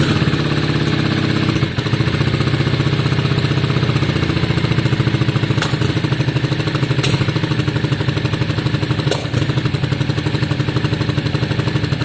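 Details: 2002 Yamaha Virago V-twin after carb cleaning, with new coils fitted: steady idle on both cylinders, with a sharp spit every few seconds, unchanged from the old coils though much better than before. Intermittent exhaust spit at idle, cause unconfirmed.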